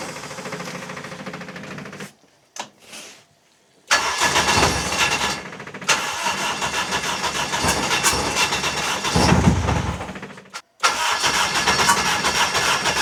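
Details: Honda K24 engine's first start after fuel was added (2–3 litres to reach the pump), during custom exhaust rework: brief cranking bursts, then it catches and settles into a steady, fairly even run; a clean first start.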